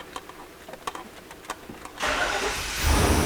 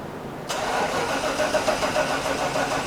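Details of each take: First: 1995 Chevy Suburban K1500 5.7L after replacing the ignition control module to fix a cranking no-start: about a dozen even cranking beats, then it catches promptly and revs cleanly, a normal start. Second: 1995 Chevy Suburban K1500 5.7 L with a cranking no-start: starter grinds over sluggishly and unevenly without catching as the battery goes weak; the distributor needs replacing.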